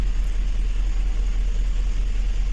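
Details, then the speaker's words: 2007 GMC Yukon XL at idle, deep lumpy chuffing misfire on cylinders 1-3-5-7. One bank is dead from a broken wire in the harness. "यह गाड़ी है योकन axle missing कर रहा है गाड़ी आप देख सकते हैं"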